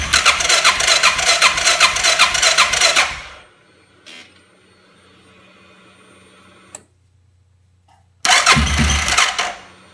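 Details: 2005 Suzuki King Quad 700 ATV with Copperhead VDI aftermarket ECU, starting problems since install: two cranking bursts about 2.5 beats a second, no firing; crank no start. Owner blames ECU; maker blames faulty charging system, battery dropping to 8V.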